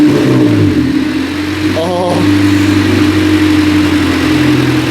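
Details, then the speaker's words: 1995 Honda Civic 1.5L petrol idling smoothly at one steady pitch after about two minutes running, following a fast idle thermal valve adjustment that cured the fluctuating idle. "Oh yeah. I think we've resolved it. That fixed it. It definitely does appear to be resolved."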